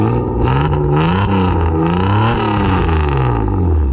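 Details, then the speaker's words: Toyota Cressida MX83 with newly fitted exhaust, revving: raspy, slightly spitting note over the rumble from blown header gaskets and three-inch mid-pipe gasket leaking; still much better than the chopped-open exhaust before. "sounds alright though i definitely need new header gaskets and a three-inch mid-pipe gasket probably use a bq1 but you can hear the blown gaskets but it's a lot better than a chopped open"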